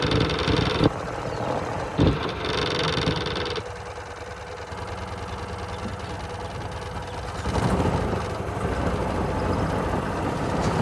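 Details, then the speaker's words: Golf cart small single-cylinder petrol engine after the blown exhaust gasket was replaced: idles with a steady low putter, much quieter than before, no hiss or puffing leak noise. "key on start so much Qui sounds perfect jobd oh done awesome"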